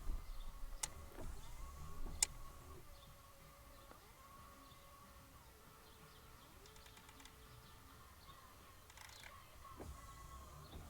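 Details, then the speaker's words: Nissan 300ZX Z32 used-car inspection: wiper motor whine rising and settling in short even sweeps with pauses, intermittent mode working normally; wiper blades need replacing. "radio works wipers work do the wipers do"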